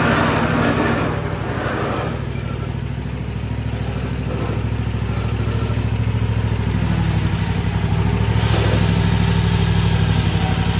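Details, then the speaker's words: Toro TimeCutter 50-inch mower, Kawasaki FR691 V-twin, before valve adjustment; loose uneven clatter about three per second over deep V-twin idle, blades engaged, deck also rattling; valve clatter from excessive valve lash. "She's got a pretty good little rattle back here. Sounds like the valves need to be adjusted."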